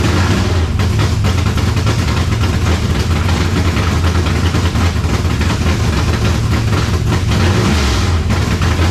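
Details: 1970 Chevelle V8 with Holley Sniper 2 fuel injection, just started after timing adjustment: deep idle with uneven, lumpy beat and occasional stumbles, no clean rhythm; rough idle, owner suspects timing still off, may check plugs and IAC settings.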